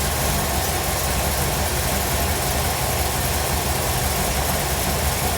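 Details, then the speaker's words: 1957 Chevrolet Bel Air carbureted engine after carburetor replacement: even, steady low rumble with a slightly choppy beat, holding speed without stumbling after the throttle stop adjustment. Normal idle. "okay basically that is just giving you a throttle stop to give it enough for the engine to idle at a specific RPM for you"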